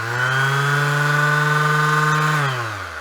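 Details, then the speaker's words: Older Bosch sander tested on a plugged-in tester: a steady, even motor hum at constant pitch with low vibration and a little dust blown out, then a smooth wind-down; it runs healthy. "Now that sounds really good. Low vibration, bit of dust come out of it."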